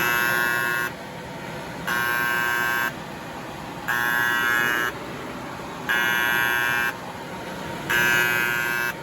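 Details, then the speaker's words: Kyungdong Navien agricultural produce dryer: buzzer in even one-second bursts with one-second gaps, overheat alarm because the bimetal temperature safety switch tripped and won't reset; sensor is fine, code E-1. "이건 애가 우는 거야. 애가 우는. 이 가열되면은 이게 안전 스위치가 이게 작동이 됐다는 거야 지금."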